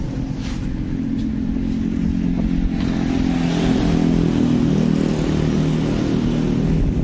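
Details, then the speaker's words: 2019 Honda BeAT Street scooter, 84,328 km, smoking exhaust and oil always low (rings/cylinder blamed): steady idle with busy clattery "tek tek" mechanical chatter; noisy engine, cause suspected, not confirmed. "selain ngebul juga ini ada masalah sedikit [Musik] berisik Ya sudah matikan Nah ya dari suaranya ini tek tek tekek tek"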